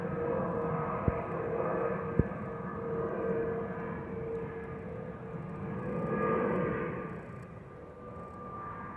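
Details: Delta Airbus A319-114 cabin: steady mid-pitched fuel pump whistle (FOPP) over even cabin rush with two faint clicks. Normal FOPP whistle.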